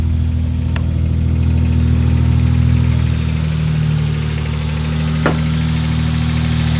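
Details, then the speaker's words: Lexus SC300 just after replacing a slipping clutch, idling after a clutch smell on first start: steady, even idle with a deep smooth beat, no knocks or ticks; normal idle. "Huh? Sounds good now."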